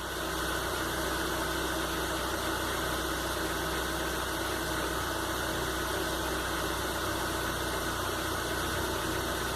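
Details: Engine after idle control adjustment, during coil and oxygen sensor oscilloscope checks: constant, even idle hum under steady hiss, no stumbles, surging or knocking; idling normally.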